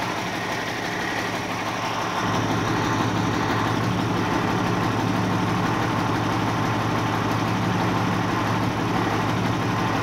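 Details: 1989 Ford Cargo diesel truck, first start after sitting one month, fired right up while checking battery; low clatter steps up slightly after two seconds, then holds steady even idle, no misses or knocks; idling normally.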